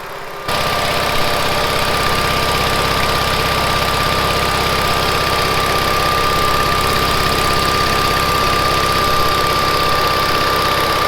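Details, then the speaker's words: 1970s Bolens QT16 hydrostatic tractor, long unused, now running after gravity-feeding fuel to the carburetor. Steady, even idle with a constant hum and a faint high whine from the hydro drive, no misses or knocks; engine running normally. "the hydro on these has a distinct sound i like listening to it"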